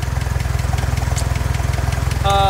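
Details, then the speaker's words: Antique Hobart engine-driven welder warming up at idle, belt-driven governor balanced against vacuum idle control: deep, even low thumping about twenty beats a second, no skips or wandering speed; healthy steady idle. "the way these two work with each other is how you have the machine idling right now"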